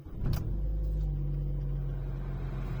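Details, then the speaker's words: Opel Astra J petrol with LPG, cold start with long-term fuel trim near petrol level (about 1.5%): short crank, then steady even idle with no surging or jerking. "nic nie szarpie wyłączę wentylator jest okej"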